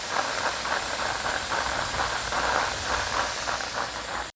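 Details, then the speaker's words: Home hydro setup with 1.5-inch penstock, running about half an hour: loud, steady rushing hiss with fluttering upper-mid band; flow noise, owner suspects a small air leak at a fitting. "so any any noise we see or hear here it's definitely from this maybe there's a little air leak in some of these or something"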